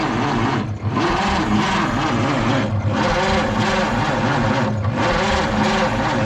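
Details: 1953 Studebaker Starliner, off the road possibly 45 years, 6-volt system with very old plugs, wires and points (dirty points suspected of inconsistent spark); starter turns it over with an even rhythmic chug but it never fires; cranks, no start.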